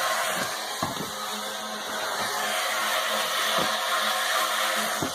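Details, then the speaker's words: Off-grid water system, recorded inside the house: pump running normally, low steady hum under hiss of water rushing into the tank from the outside tube, a few soft knocks; suction hose and pressure tank nearby. "This is where a pump is picking it up from. You can hear the water rushing in from that outside tube, and then this goes straight down into the tank, and then this hose right here that my hand is on is the suction hose for the pump."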